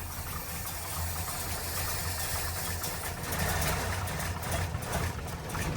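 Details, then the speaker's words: 1972 Chevrolet Nova V8 with Holley carburetor at baseline idle settings, choke just adjusted, started after three pedal squirts: a low, lumpy, loping idle with no knocks. Rough idle from an overly rich mixture, needs leaning and more idle speed. "Okay. So, we definitely need to work on our mixture."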